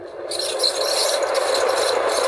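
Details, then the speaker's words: Ceiling fan motor head, held up with cutting pliers and run on supply during repair: steady hum with a constant dry scraping rattle; speed is fine but the sound is loose, worn bearing in the cover. "సరే కదా, speed అయితే బాగానే ఉంది, కానీ sound అయితే మాత్రం కొద్దిగా ఇది లూజ్గానే ఉంది, ఆల్రెడీ కవర్ ఉంది కాబట్టి ప్రాబ్లం లేదు మనకి."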